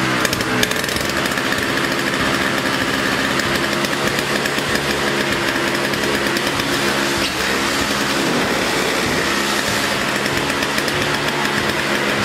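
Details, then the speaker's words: Snow blower two-stroke engine, stored five years run dry of fuel, started on fresh 50:1 mix with choke: busy high-pitched buzz holding steady, even speed and staying running; normal running. "well there you have it it worked storing it that way running it out of fuel they ran and uh stayed running"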